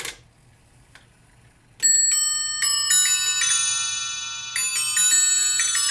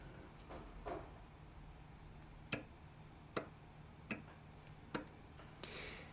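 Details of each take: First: Eighteenth-century three-train fusee spring clock, after repair, cleaning, lubrication and new gut fusee lines, on test: even ticking about three and a half beats a second, then clear bell strikes; runs and strikes healthily. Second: Escapement of an 18th-century three-train fusee spring clock, tested in a depthing tool outside the clock, gives sharp, uneven ticks about every 0.75 seconds with loud snaps. Internal and external drop are excessive, so both pallet faces were refaced.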